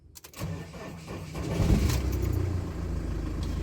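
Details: Fiat Ducato diesel starting after the tank lift pump/sender was replaced; lumpy hot start was actually caused by a bad earth to the engine management: brief cranking, then catches and settles to a steady even rumble; normal start.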